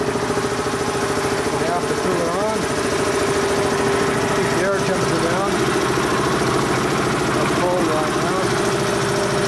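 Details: Dayton 240V 7-1/2 hp shop air compressor after motor, reed and capacitor repair, pressure switch spring adjusted (cut-in about 130 psi, building to about 162): steady even motor drone, constant mid hum, no knocks or squeals; normal compressor run.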